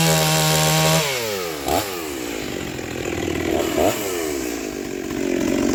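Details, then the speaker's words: Rebuilt vintage Stihl 036 chainsaw with aftermarket Meteor piston and cylinder, new crank bearings, seals, muffler, clutch, rebuilt OEM carb, roughly sharpened test chain; crisp high rev bogs slightly and recovers biting into wood, pulling strongly; healthy. "wow she cuts [Music] good my chain sharpening skills aren't the greatest"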